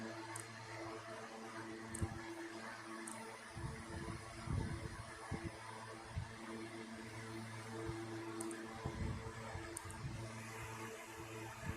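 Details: 1960s 16-inch Toastmaster box fan on high, first start in nearly two years after storage, owner thinks it may need cleaning and servicing; low steady hum, soft airy rush, a few faint ticks, plenty of power: normal running on high speed.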